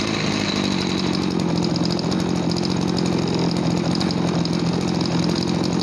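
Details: Small two-stroke farm water-sprayer engine that lacked power and ran poorly when throttled; after cleaning and adjusting the air setting screw it holds a steady, even buzz at one pitch with no surging or stumbling, running cleanly.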